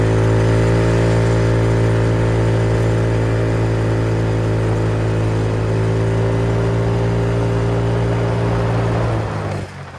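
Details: MotoBravo Roma150 scooter-engined motorcycle at 1,098 miles, running much better, on a ride: smooth, even engine note holding steady speed for several seconds before easing off, no knocks, rattles or misfires; healthy.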